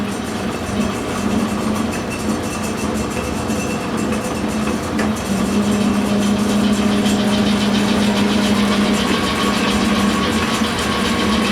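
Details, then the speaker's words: Lathe belt-drive variable speed with mechanical pulley brake: steady even hum of constant low tone, no knocks or slapping, smooth; normal running. "Nice and smooth. And brake, which also shuts off the motor, or start it up in reverse."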